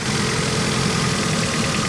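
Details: 1991 Honda Civic four-cylinder after 10+ years sitting and head gasket replacement, cylinders lubricated, idle cylinder test: rough uneven idle with irregular stumble, number 2 a dead hole missing badly; maybe not burning fuel, cause unknown.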